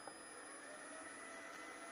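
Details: Famup TSC 40 milling machine motor run on a VFD with a separate permanent cooling fan, since the motor's own fan under-cools at low frequency: soft, constant airy whir with faint steady whine, no rubbing or wobble; the fan runs normally.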